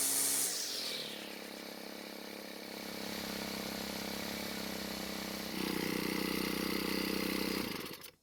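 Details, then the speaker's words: Cub Cadet four-stroke trimmer, after richening the carb half a turn counterclockwise: steady buzz, picks up slightly and holds evenly before cutting off. Now stays running and sounds good. "so this time it stayed running and it sounded pretty good too"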